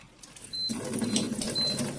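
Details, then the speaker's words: Under-sink water ionizer with an under-counter conversion kit: short high beeps over running water as it enters cleaning mode and the acid and alkaline streams switch. This is normal. "So you can hear it beeping now. What you've got is acid water and alkaline water here."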